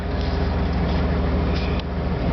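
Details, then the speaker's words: 1989 Ford F-150 with a 5.0-liter V8, new solenoid and new belt, idling outdoors on a windy day: steady, even low rumble with a regular firing beat and no knocks or misses; it idles smoothly and healthy. "This thing's got rear anti-lock brakes. Whew, that's running good today."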